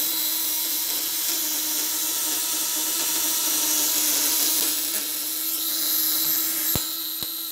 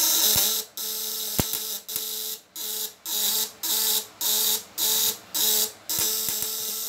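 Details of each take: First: Contact-breaker (platina) fish shocker, 1 kg spool, on a used, leaking motorcycle battery with a lamp load: a steady high buzz over a constant low hum; vibration fine, occasional imperfection considered normal. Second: Contact-breaker (platina) fish shocker, 1 kg spool, 500 W, tighter setting with the spool still fairly far: a harsh buzz cuts in and out about once a second; worn, pitted contact surfaces, to be smoothed after use.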